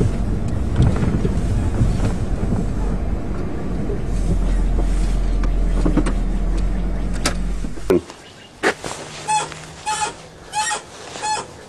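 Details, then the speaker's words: Chrysler Sebring after rear strut mount plate repair, driving slowly: rhythmic high squeaks about two a second, owner suspected dry ball joint or control arm bushing; was the upper control arm ball joint above the spindle, since fixed. "might have a dry ball joint or something or control arm bushing. I'll have to jack it up again and maybe give her a squirt of lube."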